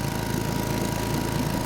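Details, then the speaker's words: 1952 Johnson Seahorse 5 hp two-stroke outboard after float repair: lumpy uneven low idle with missing beat; one cylinder not firing, its plug stopped sparking once running. "next let's prove it's only running on one cylinder they were right i was not doing anything"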